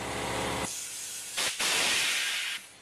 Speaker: Or if you push it all the way down, you get the jets that come up from the bottom and help seal the bottom bead, and that sounds like this.